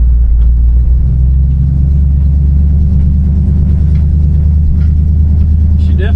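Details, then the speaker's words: 1960 Chevrolet Impala with 348 V8, no power steering, cruising on a test drive at about 20-25 mph: deep, even, steady grumble with no knocks or misses; exhaust history unknown; normal V8 running. "sounds good. This 348 has a decent little grumble."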